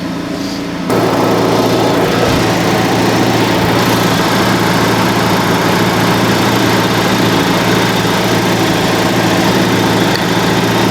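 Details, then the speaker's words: Honda Civic Type R FL5 started after a DIY transmission fluid change, engine light on: loud, uneven idle with a lumpy surging pulse and rough note; erratic because the intake box sensor was left unplugged. "So, I just turned on the car and I know exactly why everything is spazzing out is because I forgot to plug this back in to the intake box."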